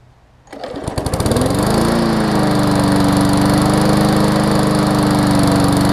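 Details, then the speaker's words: Briggs & Stratton Classic push mower after the tar-like old oil was replaced, Seafoam added and the spark plug tightened: starts at once and holds a steady, even buzz, no longer struggling; runs fine. "it definitely doesn't sound like it's struggling like it was when it had the tar oil in there"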